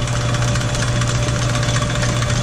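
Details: Sidney Machine Tool lathe, about 100 years old, with a 110 motor. A steady low hum with an even mechanical patter and no grinding, knocking or squeal; it runs smooth and healthy.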